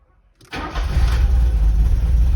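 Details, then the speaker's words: Porsche 924 after distributor rebuild, cranking and firing with vacuum advance locked and timing turned a couple of degrees counterclockwise, before strobe fine-tuning: catches quickly then settles into a heavy, uneven low rumble; rough running from incorrect ignition timing. "she runs but she's not great so let's go adjust it to until she's running better"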